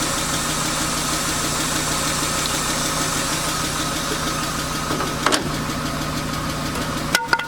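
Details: BMW 328i E36 inline-six, 154,000 miles, bought cheap with suspected blown head gasket, first start: faint quick tick keeping pace with engine speed over steady idle, no white smoke; owner suspects needs an oil change, source unconfirmed.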